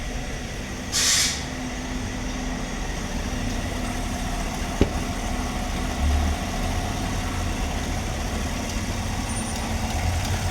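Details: GMC Sierra V8 petrol engine, after misfire repair (plugs, coils, wires, under-manifold fuel injectors replaced; misfire counts now zero): steady, even low rumble at normal idle with no stumbles or skips.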